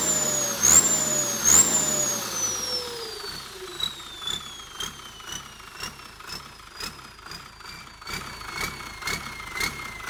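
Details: Komatsu diesel with AR60 T04 turbocharger: high singing turbo whistle rising and falling with each throttle blip; normal spool sound.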